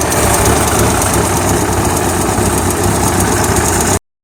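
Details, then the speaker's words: Suzuki Samurai carbureted four-cylinder with HHO hydrogen assist, after cleaning the carb inlet needle/float valve to cure flooding. Holds a steady, even idle with no stumbling or flooding; back to normal. "okay, now she's back to normal."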